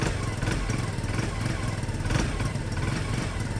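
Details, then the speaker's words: Peugeot Satelis barn-find scooter just started after immobiliser fix, cold with automatic choke engaged; stumbles unevenly, won't pick up revs; cold hesitation on choke. "doesn't want to rev yet but the automatic um choke I now up"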